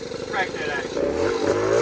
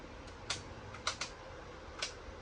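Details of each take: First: Bombardier 90 two-stroke quad, revved by hand at the carb throttle; buzzy engine climbs steadily in pitch, pulling cleanly into its power band with a crisp rising wail. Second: Bombardier 90 two-stroke quad, first run after cleaned carb and fresh mixed fuel, throttle cable rigged; fires up and revs unevenly, stumbling and bogging on throttle before picking up; owner thinks it may need a little adjustment.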